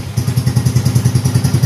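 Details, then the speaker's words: Yamaha Mio M3 125 scooter idling evenly after cylinder head opened and heavy piston carbon found (earlier hard starting, stalling idle, harsh vibration on initial throttle); steady thump, no misses or knocks, no injection light: normal idle restored. "Oke teman-teman motornya sudah dalam keadaan hidup langsanya sudah normal kembali"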